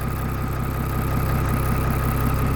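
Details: Bus started after sitting 2.5–3 weeks; it first cranked without firing, then started after waiting for the light, with the hand throttle pulled up a little: a steady, even low rumble held around seven hundred with no misses. Normal cold idle, left warming.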